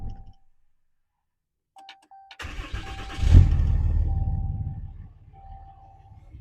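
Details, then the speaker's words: RAM 6.7L Cummins diesel after changing both fuel filters. A chime, then a short crank that stumbles and catches roughly before settling, as air is purged from the fuel system. "All right, she's gonna give a little chug a lug, but you let it crank for a second, turn it back off, crank it for a second, turn it back off, do that a couple times, and then you get the fuel pumping back into the system."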